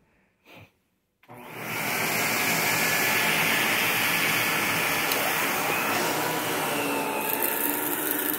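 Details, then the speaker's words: 1973 Electrolux 1205 tank vacuum, unused for a long while with a little dust inside, clicks on and spins up into a steady, smooth, quiet whir with an even tone; still runs well, normal running. "Still runs pretty good, though. Can't even hardly hear it running."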